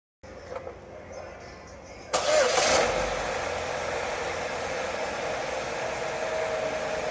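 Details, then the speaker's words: 2007 Chevrolet Cobalt LS 2.2L, found about 3.5 quarts low on oil, at startup after full oil change: cranks, catches, settles into smooth quiet idle with no ticking or rattle; it rattled badly when driven in, starving for oil. "well that was uh i guess it's good surprisingly quiet on startup but it was really rattling uh when i drove it in"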